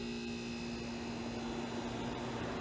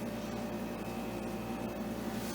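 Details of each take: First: Vintage air conditioner, assumed 1970s to early 1980s, about 6000 BTU, with a Bendix and running on low cool: even low hum with a steady tone and fan rush, no knocking or rattles, so the compressor runs smoothly and healthy. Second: Modern air conditioner, under two years old when thrown out, on high fan speed: loud, steady fan roar with a fine buzzing rattle that shakes everything, probably because its shroud is broken; other rotary units didn't do this.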